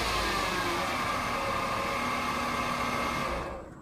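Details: 2008 Mercedes-Benz C300 V6, stock exhaust, cold start: a steady high whine rides over the engine hum and holds its pitch before fading; a failing alternator, and replacing the alternator cured the noise.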